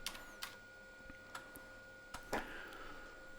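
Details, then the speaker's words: Hard drive in a 1989 Tulip PC Compact 2 XT compatible, formatting a newly created primary partition and reaching cylinder 35: irregular head-seek clicks over a steady spindle whine with no issues. "so it keeps chugging along it doesn't seem to have any issues so we're already at cylinder 35 so that's really good"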